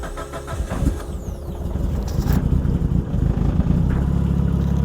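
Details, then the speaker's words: Mitsubishi Evo 9 after installing a new STM starter to cure click/no-start: brief whirring crank, then the engine catches cleanly and settles into a steady, even idle. Normal engine start. "all right nice and easy all right cool so everything seems to be good"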